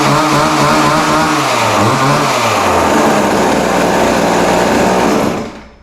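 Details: Vintage late-60s/early-70s Montgomery Wards Featherlite 10" two-stroke chainsaw after adjustment, no chain oil yet: crisp buzz rising and falling cleanly with throttle, then shut off; normal running.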